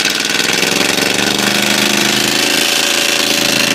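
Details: Ford 351W V8 with a spun rod bearing, abused: a fast, steady metallic rod knock rides on a busy idle and keeps time with the engine.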